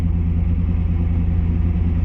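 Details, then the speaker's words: Nissan 200SX S12 after installing a new Walbro 255 fuel pump: deep, steady low idle rumble without stumbling or dying, less missy than before; pump quiet while running; normal running. "Well, it didn't die, so seems to be working. Pretty responsible. Idling sounds good."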